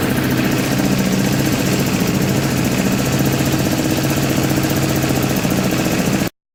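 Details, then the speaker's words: Scooter after a no-start was fixed by reseating a green wire that had popped out of the harness (fuel pump now runs, starter motor working well): even, steady single-cylinder idle with no stumble or misfire. "so that's it that was the whole reason this bike wasn't starting what the starter motor is working really good now too"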